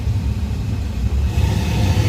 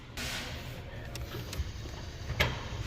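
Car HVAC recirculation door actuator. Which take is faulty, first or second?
second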